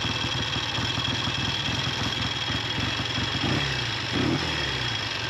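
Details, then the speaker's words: Triumph T90 twin on its first ride after going back on the road, pulled over after losing power: a fast, light metallic rattle over the idle, evenly paced with engine speed; top end, owner thinks tappets. "That's top end. I'm going to have a look at that."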